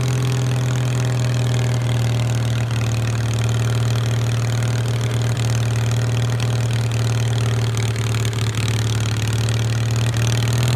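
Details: 1973 SS16 twin revived after two years sitting (carb cleaned, rusted valve freed, parts swapped), driven around: steady even low thrum with firm beat at constant speed, no knocks; normal running.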